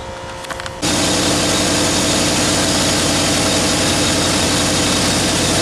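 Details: Small block Chevy 350 V8 in an S10, started after an oil change, before adding STP: catches and settles into a steady, even idle with a smooth lopey rhythm; sounds healthy.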